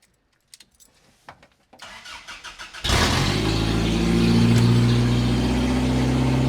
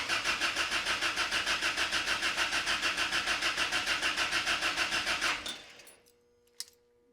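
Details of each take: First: Toyota 22RE-swapped Ram 50 mini truck, first starts after swap, open headers: a few weak cranks then a loud, raspy, steady idle with a sharp bark; normal idle, just unmuffled. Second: Ram 50 with Toyota 22RE engine swap, fuel pump relay bypassed at diagnostic port and pump heard running: steady starter whirr about three turns per second, never fires; cranks but won't start, possibly too little fuel in tank.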